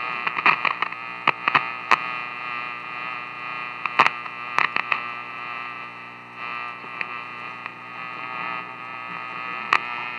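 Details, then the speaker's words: 1950s Silvertone AA5 clock radio after swapping the 12BE6 converter tube, tuned to KCBS San Francisco as a distant station. A faint, thin station sound under a steady buzzing hum from the light, with crackles and pops. Reception is very weak. "yeah there it is it's very weak that buzzing is the light"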